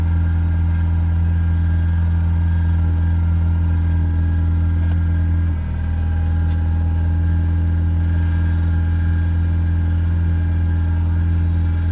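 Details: 2.0 EcoBoost-swapped Ford Ranger cold start after cleaning carbon off the intake valves and changing the oil: smooth, even idle with a steady low hum, no stumbles; earlier cold-start misfires, stalling and a P0507 code are gone.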